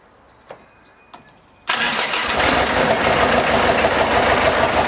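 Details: Diesel kit car's first start after being out of action since the start of the year, with the supercharger bolted back on and the battery charged overnight: a couple of clicks, then it catches instantly and settles into a steady, even diesel clatter.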